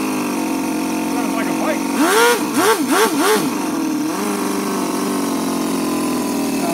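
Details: Toyan FS-L400 14cc inline four-cylinder four-stroke water-cooled nitro model engine, first start with glow igniters: even, steady buzzing with quick rev blips settling back to smooth idle; runs clean.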